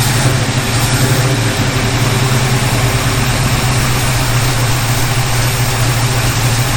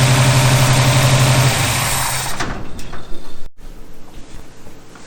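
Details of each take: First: 1951 Henry J street rod V8 idling after swapping in another distributor cap and coil: rough, burbly but steady idle without the sharp pops; most backfiring gone, pointing to an ignition problem. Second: 1951 Henry J street rod, first start after the carburetor was bolted down and fuel line fitted: rough, lumpy idle with loud backfiring pops, then stumbles; owner suspects the distributor cap or a spark plug wire.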